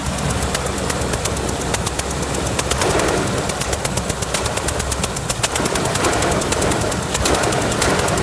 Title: Land Rover Discovery Engine knocking